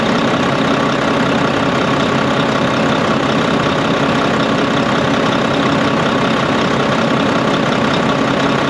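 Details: Volvo VNL D13 truck idling after a new O-ring was fitted and the nuts tightened. The loud windy noise from the pipe, heard after an accident, came from a crimped, improperly seated O-ring. Now an even diesel clatter with no whooshing air.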